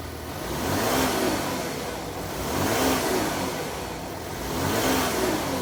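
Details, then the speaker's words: VW Touareg after Eurowise subframe spacer install, with the mass airflow sensor now plugged in correctly: three smooth throttle blips about two seconds apart, revs rising and falling cleanly without stumble; normal revving. "that's what it sounds like when the mass airfow sensor actually works on the Euro wi spacer install"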